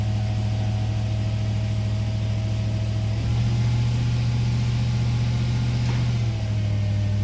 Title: 2003 2500HD 6.0 misfire